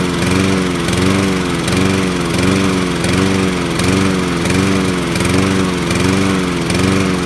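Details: Sears Craftsman lawn mower with a Honda engine, model 944.365452, running: uneven note that surges and dips a little over once a second; the engine is misfiring and the owner asks for the cause.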